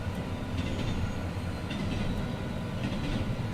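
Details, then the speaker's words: Train rolling over a rail weld after the track was ground: continuous rumble with brief clicks and squeals, no longer bouncing; observer suspects the bad weld remains on the sides where the wheel edge runs. "still making noise as you can hear but nothing's bouncing anymore so I think it's what it is is they took the surface off but where the bad weld is is still a little bit on the sides where that uh wheel Edge that goes around"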